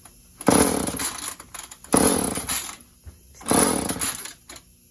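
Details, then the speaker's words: Chainsaw run without bar or cover, kill switch broken, choke on: three pull-cord cranks, short rasping bursts that never catch; hard starting. "Choke switch. Maybe it doesn't want to start up. Maybe it doesn't want to start up."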